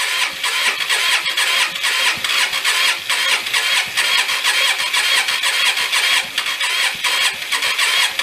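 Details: Hyosung Aquila GV250, sat 9 years after dying while riding; clutch in, choke thought to be off: the starter whirs unevenly, about two pulses a second, with no catch. It cranks but won't start, cause unconfirmed.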